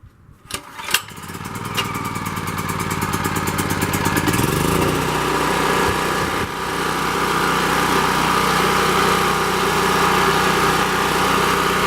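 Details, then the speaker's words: Champion 3500-watt portable generator, 196cc engine, started on choke after sitting a while: a few pulls, then it catches, speeds up and settles to a steady, even, fairly loud run with no misses or knocks; healthy. "so I'm gonna go ahead and start it up for it and you can hear it switch it to choke it's been sitting a while so we'll see it'll start"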